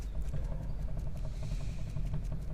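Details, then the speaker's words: 2015 VW Golf rear suspension noise persisting after several rear suspension parts replaced; wheel rocked gives dull knocks about three a second: rear wheel bearing play, bearing and hub one part to be replaced. "o barulho persiste aqui na roda vamos ver se a gente consegue pegar tá com uma folga no rolamento"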